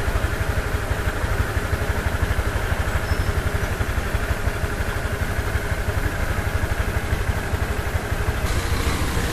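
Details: Honda Click V3 125i scooter at idle after the CVT was opened and its dirt cleaned out, greased and belt scrubbed: smooth, steady idle thump with no rattle or squeal; the earlier CVT noise is gone.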